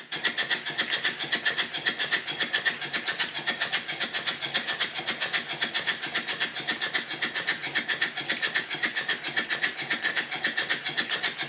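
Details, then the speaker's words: Southworth duplex boiler feed pump running on compressed air after water outlet fix and timing set: crisp, evenly spaced exhaust chuffs about two per second, matched in strength, pump stroking smoothly; normal even exhaust beats. "you should now also notice that the engine sounds different the beats are much more even and it sounds a bit like a"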